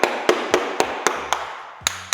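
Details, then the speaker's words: Floor tile after under-tile glue injection through a drilled grout-line hole into the void: sharp, even taps about four a second sound firm and dead with no hollow ring, now well bonded instead of drummy. "You can already tell that it's sounding a lot more solid."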